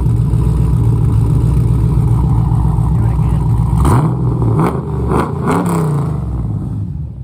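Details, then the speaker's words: Firebird Trans Am with a newly built LQ4 408ci stroker, stage 3 cam and solid motor mounts, on its first drive during break-in. It runs around 1000–1600 rpm and locks up in fourth gear; a deep, lumpy V8 burble revs cleanly with no knocks. "well guys that's the sound of a newly built 408 stroker if you just never heard one i guess on youtube before"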